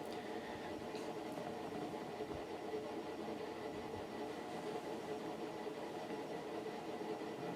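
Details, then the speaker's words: Fasco World's Fair 52-inch ceiling fan, new-old-stock motor, on very-low setting near its top speed: steady rumbling chug under the hum like a train on tracks, with slight wobble, from stiff, worn motor bearings. "yeah the sound of the bearings on this one almost sounds like a train chugging along the tracks"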